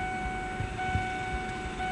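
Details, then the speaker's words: Small automatic-transmission car at the Valmet Automotive Uusikaupunki factory, 2010, heard from inside: steady high electronic tone signaling the car is running, over an even ventilation fan hum, no rattles. Normal. "Tämä ääni vain, no se vaan ilmoittaa, että meillä on niin auto käynnissä ja hurina tulee sitten tietenkin ilmastointi tai tästä tuuletus, tuuletuslaitteistosta."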